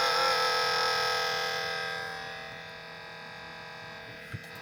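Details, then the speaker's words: 15-inch heat press at power-on: loud buzzing whine with a fast even pulse from the small internal cooling fan, fading away after a few seconds; owner suspects the fan bearing is going bad. "I hope that noise came through, but it's loud and it does go away eventually. And it's a fan, and I think the bearing in the fan's going bad."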